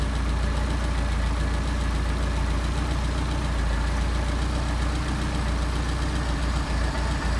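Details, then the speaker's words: Engine on a 44 PHH Solex carburettor, idle raised to about 750 rpm, idle mixture screw being turned to find the stumble points and set the midpoint: uneven, loping idle that dips and stumbles now and then, running too rich. "Screw it out till the engine stumbles. And we're going to get our midpoint. There's the engine stumbling."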